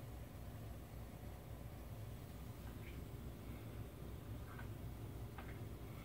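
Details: NXR propane stove burner after sanding the warped bottom burner piece that let air in and caused continuous igniter clicking: soft, steady low flame roar with no repeated clicking; burner lit and running normally.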